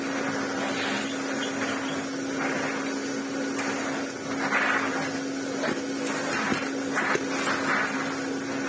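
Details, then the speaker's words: Vacuum cleaner motor bought at a car boot sale, running: even drone with steady mid-pitched tone and smooth airflow hiss, getting slightly faster, no rattles or grinding; motor running very well. "well that runs really really well sure it's getting a little bit faster as well"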